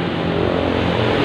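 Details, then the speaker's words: Honda Vario 125 scooter: coarse, gritty drone holds steady while the rear wheel spins, loud from the CVT; cause is worn CVT driven pulley bearings. "Jadi kalau diputar roda itu kasar sekali suaranya. Jadi untuk CCTV yang kasar sekali ini kerusakan ada di apa ini, di laker puli, di kaca puli ya."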